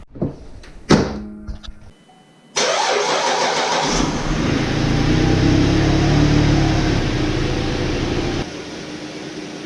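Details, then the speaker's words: 2012 GMC Acadia after spark plug and intake manifold gasket replacement, first start: brief crank, catches, then quiet even idle; tach jumps slightly, possible slight misfire, check engine light on; mostly normal idle. "there we have it guys it's running sounds pretty smooth I don't know if it's I don't know if you guys can hear it because it's so quiet but it's running pretty smooth"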